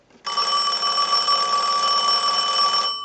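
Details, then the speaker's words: Western Electric Princess telephone, final checkout after repair, analyzer sending a ring cycle: loud, steady bell ringing for about 2.5 seconds, clean and even with no rattle or dropout; ringer works properly. "Now what we want to do is use the analyzer and send a ring cycle like you were getting a call, so we'll start"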